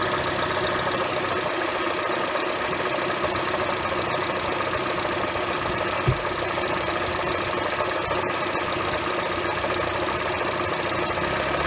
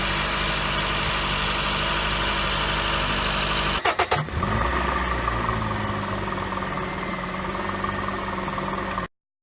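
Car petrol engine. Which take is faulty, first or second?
first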